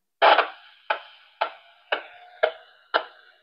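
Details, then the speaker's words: Radio receiver tuned to a repeater frequency: sharp, evenly spaced clicks about twice a second in the otherwise quiet receive audio; owner suspects some refresh cycle bleeding into the low-frequency receive path, not confirmed. "Takie klikanie, pukanie. Jest to związane według mnie z jakimś tam odświeżaniem, tak, aby coś się odświeżało i po prostu nanosi się na tor odbiorczy małej częstotliwości."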